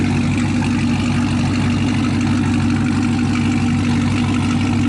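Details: Chevrolet Camaro ZL1 V8 after replacing a damaged spark plug; deep, even burble with steady beat and no misfire stumble or ticking; normal idle.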